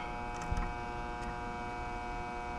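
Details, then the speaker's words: Mobile home AC condenser: steady electrical buzz from the energized contactor coil (meter reads 27 V control, 240 V line) but contacts not pulling in; ants seen crawling on it, ants in contactor suspected. "I just tell you what my meter's reading I can hear it buzzing 27 volts 240"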